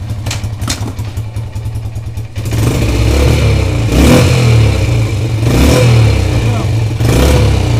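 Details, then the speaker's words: Yamaha Champ YFM100 ATV after the broken drive shaft was replaced; carburetor not yet cleaned. The small engine idles, then rises steadily as it pulls away in gear with no clicking, clunking or grinding; normal drive engagement. "all right so problem solved that's all it was that broken shaft"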